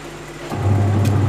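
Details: Electrolux 12 kg twin-tub washer whose spin-dryer only hums, before repair; testing the wash side first, a steady low hum starts up and holds even, with no knocking, grinding or labouring, so the wash motor turns normally.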